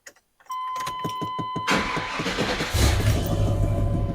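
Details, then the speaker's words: 1994 Chevy K3500 dually, cold start: starter whirs, the big V8 catches, then a quick light tapping rides over the idle and goes away; source not pinned down. "He fires right up. I'm going to fade away for when the tapping goes away."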